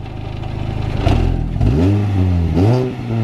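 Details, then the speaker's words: Mini Cooper blipped in quick revs before a custom exhaust install. A loose tinny rattle rides on each rise, coming from the exhaust. "give us a REV oh you can hear it rattle actually oh wow"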